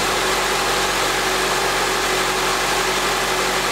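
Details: Idle just after the battery tester's cranking test: even, steady hum with no knocks or misses under heavy background hiss. Charging reads 14.16 V unloaded with normal ripple; engine and charging normal.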